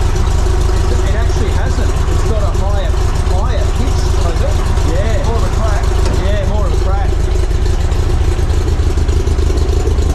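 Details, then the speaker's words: Barn-find VW single cab ute, first start after fitting a new vintage-speed stainless steel exhaust: steady, even low burble at idle with no misses or knocks, noticeably quieter than the old exhaust; normal idle. "so that's the sound of the vintage speed exhaust that sounds nice yeah it does it's got a got another good night i think it's quieter it is quieter yeah totally it is quieter"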